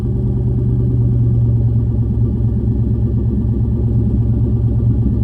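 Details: SN95 engine idling after battery reinstall, running a Seafoam fuel treatment: deep, low rumble with an uneven, slightly lumpy beat that never settles. Rough idle, better than before with easier starting; owner hopes injectors are being cleaned, cause not confirmed.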